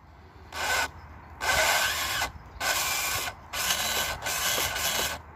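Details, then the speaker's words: FTX/RGT Outback Fury RC crawler gearbox after an abusive day in the mud, run in spurts: short bursts of harsh, rasping grinding from the driveline, still driving. "well she still works and she drives back to the car but that is not a happy sound"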